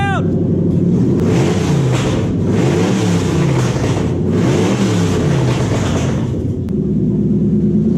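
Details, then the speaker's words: 2003 Toyota Hilux with swapped-in 3UZ-FE Lexus V8 on Link Thunder ECU, first start after swap: steady even burble with a few smooth throttle blips; runs healthy, just a loud exhaust; normal V8 idle. "Power steering's been bleeding up. Let's hear it run now. It's a little bit loud."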